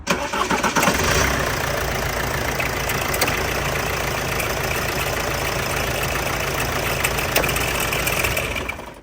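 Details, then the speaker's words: Diesel campervan engine cranking and idling: a harsh, rough whirring held steady over the engine note from the left-hand side; a mechanic found the alternator pulley bearings have gone, after a new pulley and belt did not cure it. "as you can see this is the alternator here the alternator pulley itself the bearings have gone"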